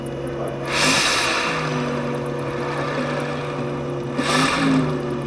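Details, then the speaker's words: Renault Zoe (2019–2024), car lifted with wheels spinning: a steady, loud, low ringing hum with stacked tones, traced to the air-cooled electric traction motor. The fix is removing and disassembling the motor to replace its bearings. "Здесь у нас мотор с воздушным охлаждением. И будем снимать его, разбирать, менять подшипники."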